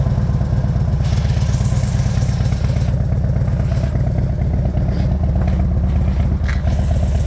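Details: Harley-Davidson FXDF Fat Bob first run-up after engine rebuild: deep, loping V-twin beat staying steady and even through the run-up, no knocks or rattles; engine sounds healthy.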